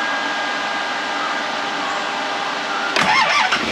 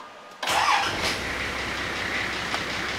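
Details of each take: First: Nissan GQ Patrol, TD42 diesel, hard to start in cold weather, after fitting a new battery: short crank, catches near three seconds, then loud slightly uneven cold-idle clatter that later cleared up; glow plug circuit still to be checked. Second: Nissan GQ Patrol TD42 diesel, previously hard to start in cold weather, started cold after cleaning corroded battery terminals and glow plug work: catches quickly and settles to a smooth, even idle with no stumble.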